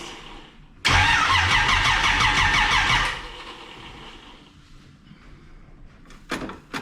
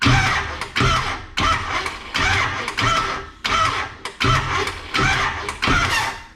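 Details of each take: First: Camaro with distributor cap, new battery and old plug wires fitted while ignition timing is set by rotating the distributor, in a dark garage: fires and runs rough with uneven pulses for about two seconds, then dies; timing still incorrect. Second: Camaro cranking with new battery while setting timing, number one cylinder found on compression: starter cranks in short even bursts, one to two a second, turning over freely; normal cranking.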